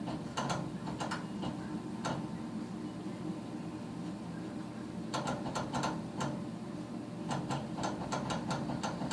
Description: Doesnt fire every cycle